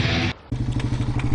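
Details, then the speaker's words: Yamaha TW200 single-cylinder idle: sharp tapping knock riding on the firing beat from the lower case flywheel/stator side, traced to the starter gear sprag clutch whose retaining bolts broke. "[Applause] I think that noise is that starter gear there's a gear here and a gear here and I bet you the bearing or something went"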